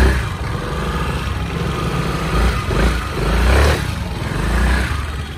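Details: 2018 Honda SH300i scooter judders on takeoff: the engine surges unevenly on throttle, with a rough low shudder and a loud clack-clack clatter from the CVT clutch bell, before repair.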